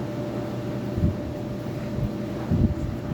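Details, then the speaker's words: Lau barrel fan, believed 20-inch, after re-powering with a new motor, RPM raised slightly: steady low rumbling drone with faint constant hum and even airflow, no knocking or rubbing; sounds like industrial machinery, runs smooth. "This thing looks so much more better with the motor on it. It's like the right size. Oh, it actually sounds like a piece of industrial machinery"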